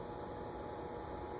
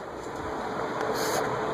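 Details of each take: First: Venton (VEC) 48 in cast-iron ceiling fan, likely 1970s or earlier, on a solid-state variable speed control around 30, not yet turning: low steady electrical hum and buzz with no spin-up. Buzzy, stiff bearings, poor variable-speed candidate. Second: Venton (VEC) 48 in cast-iron industrial ceiling fan, likely 1970s or earlier, on high speed: even airy rush with faint motor hum and no bearing grinding or ticking, though bearings were noisy at lower speeds. Normal running.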